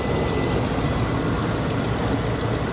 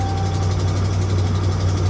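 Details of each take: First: Ex-police RAM 2500 HD, 142,000 miles, check engine light on, water pump recently replaced: low, even idle with a steady beat and no ticking, grinding or squeal; engine runs great. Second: 2013 RAM 2500 HD, ex-police, 5.7 Hemi, 142,000 miles, check engine light on: deep, steady V8 idle with a faint, quick tick on top; a slight exhaust leak is suspected, possibly the donut gasket.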